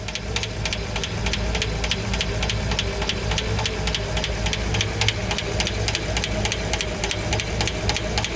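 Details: Engine noise from the valvetrain, hydraulic lifters, right cylinder bank, slight oil leak noted: sharp, regular ticking about three to four a second over the idle; light top-end valvetrain tick, likely lifters.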